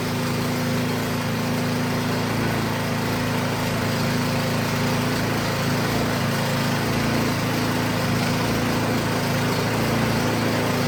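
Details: Craftsman 22" snowblower that would not start, after repair and reassembly: steady even small-engine drone with quick regular beat, no misses or surging; running healthily.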